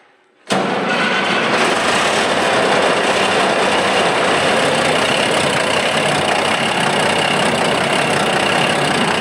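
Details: Diesel engine jump-started after battery charging: catches abruptly and settles into a steady, even rumble with no misfire or hunting; starts and idles normally, though broken flexible turbo-to-exhaust tube may cause smoke.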